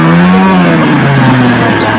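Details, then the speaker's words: Hero Passion Pro single-cylinder bike after a full engine fitting, at idle with the mileage (idle) screw set for a low idle: a steady, even smooth low hum with no misses or knocks. Normal idle. "इसकी आवाज भी आप पकड़ सकते हैं और जितना कम आवाज गा जितना कम रेस रहेगा दोस्तों आइडल में आपका जो बाइक है उना ज्यादा माइलेज दे"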